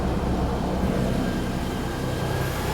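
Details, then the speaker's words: Perodua Kenari after fitting the alternator belt, power steering belt off, maximum electrical load (heated rear window, lights, heater fan): steady, even idle with only its usual faint whistle, no chirp or squeal of a loose or worn belt. "That sounds quite happy, I think. Yeah, this does mean still makes his whistling noise. So that's good. We would miss that. But it's not making the chirping loose belt sort of a noise or worn belt."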